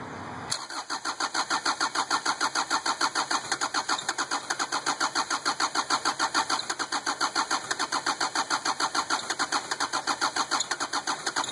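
Steady fast cranking rhythm around three strokes a second runs on and on without the engine catching; a hard-starting engine. Cause suspected, not confirmed.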